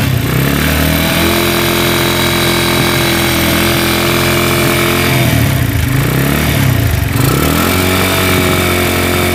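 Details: Honda Tiger single that smokes when cold and lacks power, just started after washing: loud idle with rough rattly clicking from the cylinder head. It resembles a scratched or slapping piston; the cause is loose rocker arms.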